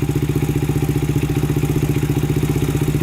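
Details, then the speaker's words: 2000 Honda 400EX quad, start after a cheap eBay piston and cylinder, new solenoid and clutch cable, with valves in spec and cam chain tightened. It idles quickly and steadily with even single-cylinder thumps, about 3.5 per second, with minor noise; starts easier. "it starts up a lot easier now at least so that sounds pretty good to me um you're gonna have a little noise of any engine you have"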